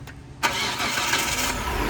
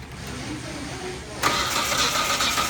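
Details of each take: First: 2005 Hyundai Santa Fe 3.5 that had crank no-start with no spark, after replacing the sensor: brief crank catches quickly into a steady, even idle with no misfire; starts normally. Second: 2005 Hyundai Santa Fe 3.5 V6, crank no start: starter spins the engine at an even pace but it never fires. No spark at the pulled coil, and the coils are shared between cylinders.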